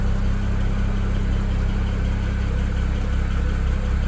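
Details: BMW N54 335i engine idling with M3 cowl and sound-deadening foam under the cover, heard from outside with the hood shut: steady, even idle drone with no tick standing out. Sounds healthy.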